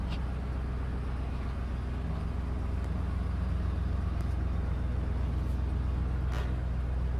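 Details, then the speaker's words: 1986 Chevy K10 pickup after sitting for years, cold, just pulled out in drive: even quick low rumble at raised idle, no stumbles; owner attributes high idle to known vacuum leaks and unplugged hoses. "seems to be running nice new complaints there a little high but I do know there's vacuum leaks also there's a bunch of hoses that are unplugged so obviously that's going to mess with it"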